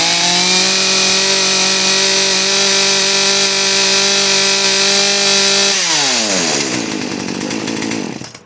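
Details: Poulan P3314 chainsaw after a carburetor and fuel line repair, choke off and idle screw turned up slightly: the small two-stroke engine holds a steady, even buzz at normal idle without moving the chain, then dies away with a falling pitch.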